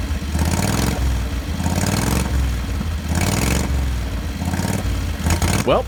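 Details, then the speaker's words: 670 cc Predator V-twin in a Renault, first run after a new exhaust and governor removal: revs blipped in repeated bursts with a flat, hesitant edge on each throttle opening; sounds like it's running lean. Hesitation on throttle. "it runs but it sounds like it's running lean when I goose the throttle"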